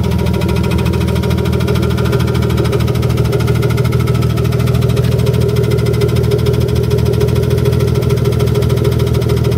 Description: Knocking/ticking from an e36 m3 S52 engine in a BMW e30 with hood closed.